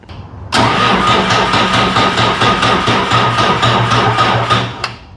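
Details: Bobcat 743 diesel skid steer, about 30 years old, after priming with primer bulb: steady starter cranking about two turns a second, no firing; air still in injector lines, more bleeding needed.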